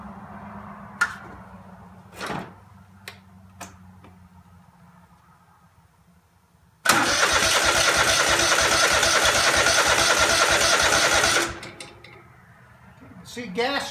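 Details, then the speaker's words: Craftsman DGT 6000 engine first test start after reassembly (new fuel line, fuel pump mounted, air cleaner, oil change, cleaned plugs): starter turns evenly about three beats a second for four seconds, never catches; fuel filter just filled, not yet at carburetor — cranking, no start. "come into the filter there might take a little while the fuel filter just filled up so you should be heading up into the carburetor now"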